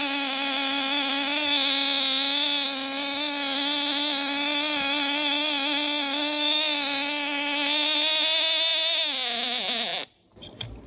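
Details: Nitro glow engine swapped into a Losi Mini-B RC buggy, mounted on its side, first run after priming and glow igniter, before break-in heat cycles: steady high-pitched buzz holding even, then dips and cuts out; runs clean and healthy.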